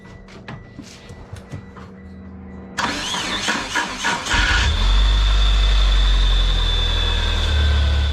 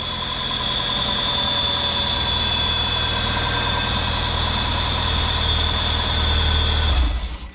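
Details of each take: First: 1997 Mitsubishi Eclipse GS-T after flywheel, clutch and starter plate replacement: harsh metal-to-metal grinding rasp for a couple seconds of cranking before catching and idling; noise somewhat better but persists, faulty starter grinding. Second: 1997 Mitsubishi Eclipse GS-T idling right after starter replacement fixed metal-to-metal cranking noise: smooth steady idle, even low hum with constant high whine above, no clatter or miss; normal idle.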